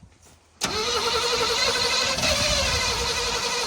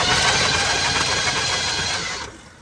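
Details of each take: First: 1979 Chevrolet C10 being revived, start attempt, cranking without throttle: the starter kicks in, then a rough, uneven crank and catch with a sharp pop; the engine backfired and the spark plug wires are suspected to be out of firing order. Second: 1979 Chevrolet C10 pickup V8, long-dormant revival, started without a key: even, brisk starter whirr with steady spin, no grinding or clicking, then winds down; starter works, normal cranking before a spark test.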